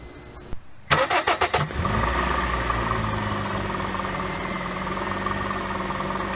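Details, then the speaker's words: 2007 Honda Fit cold start: cranking, then a settling idle with a light rapid knock riding over the engine, first suspected rod knock or piston slap, caused by a worn AC compressor pulley bearing (replaced with NSK 35BD219DUM). "this is a recording of my Honda Fit starting cold than me trying to determine what's causing the noise"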